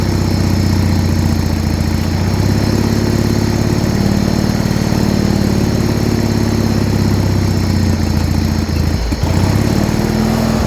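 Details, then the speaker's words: Original 1980 John Deere 317 garden tractor, first start after about three years unused, tank pressurised to feed pump and carb, choked: steady even idle with regular low firing pulses, no misses or knocks. "oh [Music] so she's finally started and idling"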